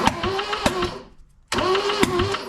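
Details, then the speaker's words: 1974 Toyota Celica GT four-cylinder, long-sitting, reportedly freshly rebuilt, cranked plugs out on a better battery with good compression and oil on the dipstick: two starter bursts with sharp knocks, a dry timing chain tensioner not yet pumped up with oil. "oh all that noise is is the timing chain tensioner it's cuz it didn't pump up with oil yet"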